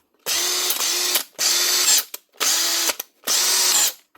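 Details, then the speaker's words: Makita BHP452 cordless drill from 2011, repaired with new motor, armature, brush holder and brushes: four short bursts of steady high whine with no clicking or rattle; the slight whine comes from the switch; motor sounds healthy. "Now, see what she sounds like. Much better. The sounds, you can still hear that high pitched whine, but that's the switch."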